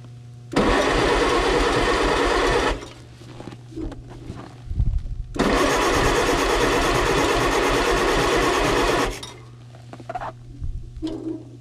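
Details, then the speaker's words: 1957 Allis Chalmers B series tractor, sitting in snow for a couple of years, block-heated, with a bad solenoid just fixed: two long spells of strong, even starter churning without a single firing beat. Cranks but does not start. "good old wrenches pulled out for this holy [ __ ] oh she turns over beautifully"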